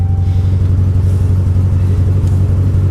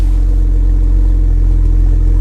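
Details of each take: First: 200,000-mile Ram truck at auction: heavy low idle with uneven throb about four times a second, slight backfire, flashing dash lights, strong raw gas smell; running rough, cause unknown. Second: Cheap Copart Camaro SS at auction, low on coolant: deep, steady V8 exhaust rumble at idle with an even, unbroken beat and no ticking or missing. Normal V8 exhaust note.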